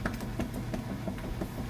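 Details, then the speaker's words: Kenmore Super Capacity Plus washer on the heavy duty cycle, full of water: low rhythmic sloshing and soft thumps a few times a second, even and steady. Normal agitation. "is running perfectly you can see that agitator doing a real good job with the agitation nice full of water"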